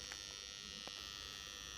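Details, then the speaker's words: Magnetic contactor energized before repair: a loud, steady electrical buzz holds while it is on. Coil hum. "दोस्तों यह आप देख सकते हैं बहुत ज्यादा साउंड कर रहे हैं और इसको मैं अभी रिपेयर करने वाला हूं"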